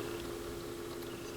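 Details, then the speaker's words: Technics SL-B5 stacker turntable, plugged in at 33 rpm with belt not yet fitted, good motor torque: faint steady low hum at one pitch from the bare motor spinning, no tapping; slight motor noise of unclear source. "and that is likely in an earlier video there's a little piece of plastic but that's not tapping like the other one I don't know how noticeable that would actually be but there is a little bit of noise"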